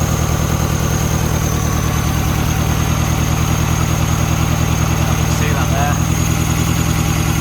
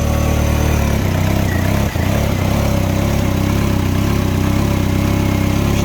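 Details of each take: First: Mini Cooper, heads just refitted, idling: lumpy, uneven, vibrating beat from one dead cylinder, feels like it's missing; misfire at idle, scan under way. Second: Mini Cooper after cylinder head refit and just-replaced part, before VANOS adaptation: engine idles smoothly and evenly, steady low hum, no vibration or stumbles.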